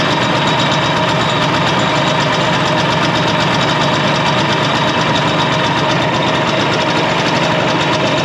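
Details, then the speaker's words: 1967 Ski-Doo two-stroke at idle with a Tillotson carburetor set too rich: a buzzy idle that won't hold a clean steady beat, blubbering and skipping. "All right, now I'm going to show you how it sounds when it's too rich. The motor will start skipping. It won't have that steady RPM to it. It'll be jumpy and skipping and kind of weak on power as well, kind of boggy because it's too rich, too much fuel to the air."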